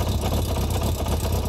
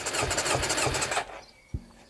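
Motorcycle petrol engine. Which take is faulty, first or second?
first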